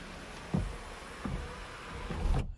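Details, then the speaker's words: BMW E39 sunroof closing after headliner, sunroof cassette and motor replacement and recalibration. Quiet, even motor drone ending in a soft stop, with no clicking or binding; closes flush. Normal sunroof operation. "that operation is smooth and quiet without any signs of binding or clicking or anything that sounds nasty"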